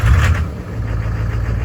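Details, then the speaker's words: Cheap Duramax LLY diesel truck after fitting eBay Bosch injectors and a replacement fuel pressure regulator; catches quickly, brief flare, settles to a steady low idle with an even beat; starts and idles normally. "Well, she fired up. So that fuel pressure regulator is better for sure than the other one. So it's running okay."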